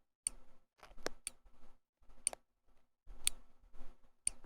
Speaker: it goes click click click snap and then click click click so that the additional clicks after the snap are it advancing the plunger just a little bit